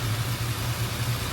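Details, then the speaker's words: 1968 Dodge Coronet R/T with rebuilt numbers-matching 440 V8, just warmed up: lumpy uneven idle rising and falling beat to beat; owner suspects a plugged idle circuit and notes some detonation. "run good Mages have a little bit of an idle circuit plug somewhere"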